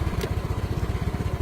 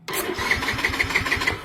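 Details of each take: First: Yamaha Mio M3 scooter after fixing a stuck starter relay by tapping it: small single-cylinder engine idling with quick, even low pulses and no misses, stays running after the jumper is removed; normal idle. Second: Yamaha Mio M3 scooter, key off, jumpered: the starter cranks by itself at about six beats a second and the engine never catches; a short, suspected in the starter relay.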